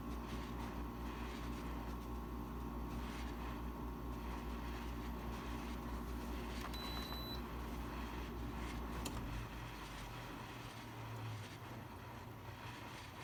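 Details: Frigidaire 6000 BTU air conditioner FGRQ06L3T1, after a couple of weeks of use: constant fan and compressor drone with irregular cracking, popping and water-running noises, seemingly from poor water drainage.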